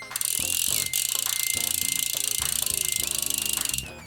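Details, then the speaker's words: Bike rear hub after reassembly with WD40/lube in the freewheel to make it louder: fast, steady, high, even ticking while coasting under background music; loud freewheel pawl clicking as intended. "again just one more time WD40 for loud some sort of like bik grease for uh quieter for the bike grease usually use like a paintbrush put it in and that's about it"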